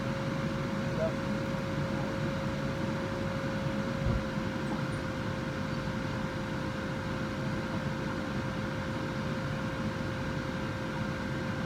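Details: 2011 Ford Ranger heater blower fan just replaced with new fan, battery reconnected: even, steady fan rush with faint constant hum, no ticking, scraping or wobble; new blower running normally.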